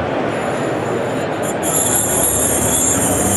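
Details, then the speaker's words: Hard drive already failing (spinning up and down, cycling power) with platter scraped by a dental probe: harsh scraping hiss and thin high squeals as heads seek over the crash, dragging debris and causing a significant head crash. "Okay, that is definitely a significant head crash occurring."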